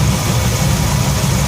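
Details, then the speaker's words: 1966 Ford F100 V8 after a Pertronix electronic ignition upgrade in an aftermarket distributor, timing set near 20 degrees: deep, even rumble idling about 750–770 rpm, within the cam's 750–800 spec. No misses or knocks; normal idle. "so uh a 757-70 somewhere there sounds about right um i think this uh the cam manufacturer suggested somewhere between 750 and 800 so that sounds pretty good right there"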